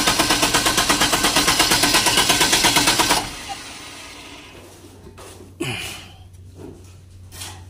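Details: Diesel genset cranks without firing: rapid, even cranking pulses for about three seconds, then stop without catching. Fuel found to contain water; being drained and replaced with fresh diesel.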